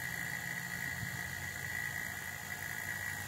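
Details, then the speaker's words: Homemade vacuum still with pot still: vacuum pump gives a steady loud drone with fixed high whine, running constantly and smoking slightly because it draws air through a known leak in the seal; vacuum leak, pump running continuously. "the vacuum pump does start smoking a little bit and that's because it is actually sucking air out constantly that's just something I have to deal with because I can't get it to be a complete seal"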